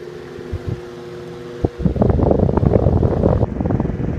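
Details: Antique 12" Westinghouse fan switched to position 3 (top speed). A steady hum and a strong, even rush of air with no knocking or rubbing. It runs healthy.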